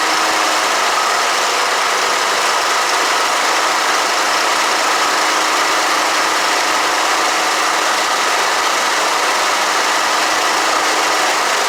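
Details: Toro commercial 21-inch Recycler push mower with Kawasaki FJ180V engine, after replacing a carburetor butterfly valve that had come off: small single-cylinder engine holding a steady, even buzzy run with no misses or surging; running properly.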